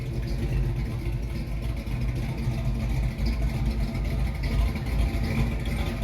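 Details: 1968 Mustang with a new 302 roller engine bored .030 over (306), GT40 heads, Z303 cam and C4 transmission, heard starting and idling: a deep, steady, even loping V8 rumble with no knocks or ticks. Normal idle.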